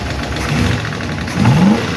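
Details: 1951 Chevy engine running and blipped after first fire-up and valve adjustment: faint light top-end clatter; number 4 intake and number 2 exhaust still clickety, number 2 seems okay; valve lifter tick, owner plans re-adjustment.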